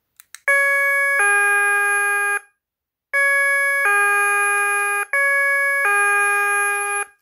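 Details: KERUI wireless security alarm kit base with newly programmed motion sensor in alert mode: clear two-tone ding-dong chime three times, each about two seconds, signalling motion detected.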